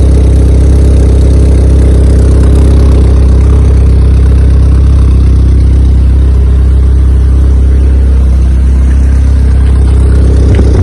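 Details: Honda EK Civic with a freshly built Vitara D16 turbo engine on its first start-up, radiator cap off; fast steady drone around 2000 rpm with no drop to low idle. Owner thinks it is an ECU setting and suspects the throttle body.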